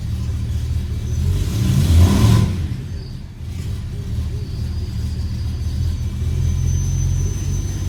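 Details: E92 BMW M3 V8 throwing codes for multiple misfires and popping badly on cold start; uneven, loping idle with irregular stumbles and a brief rev; rough idle with misfires, cause not yet found.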